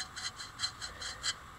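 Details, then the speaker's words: Salvaged bandsaw wheel turned by hand. A dry rasping scrape pulses about five times a second with rotation; the wheel bearings have no grease inside, at least one of them. "but uh there's no grease inside these bearings at least one of them anyway"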